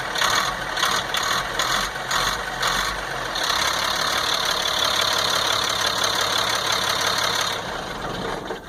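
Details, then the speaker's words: 1998 GMC C8500 with Caterpillar 3116E diesel, after transfer pump air leak fix and cooling down: steady idle clatter, then smoothly rises to higher idle on throttle; no-start later returned after restart, ECM suspected. "Anyways, so now you can see that it will run, and it accelerates and raises the idle like it's supposed to."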